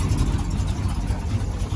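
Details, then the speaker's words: 1978 GMC C25 squarebody, carbureted engine, cold weather, running on the switched fuel tank. A steady, even low rumble with no misses or knocks, and the motor is barely shaking; normal idle. "It's continuously staying on, so I don't know, y'all. This thing sounds good, man."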